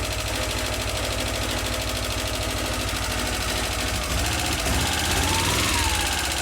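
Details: Subaru EJ22 just reinstalled and restarted, in neutral, warming up: rapid light ticking about three per second over an uneven idle.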